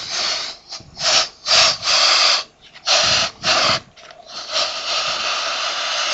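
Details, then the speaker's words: Fuel tank vapor pressure release on a 4WD after a rough, steep track in hot conditions: loud airy hissing in repeated bursts as the cap is cracked, tank had been hissing; petrol was boiling, causing vapor locks climbing hills. "we'll just see how much pressure we can let out of this tank it's been hissing since we arrived here guys hut upset if you can hear that"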